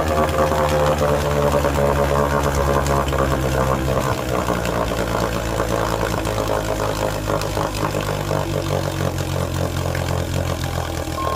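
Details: 1948 Sea King 5HP outboard on first startup and break-in run after mechanical restoration: crisp, even two-stroke putter at about four beats a second, steady without misses; running healthy.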